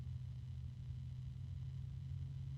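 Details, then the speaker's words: Running PWM LED case fan: a steady deep hum with a low droning resonant tone and possible bearing rub. "And that's probably because the edge of the fan blade on this side has some silver on it, or silver paint, whatever you want to call it. There's a harmonic resonance there."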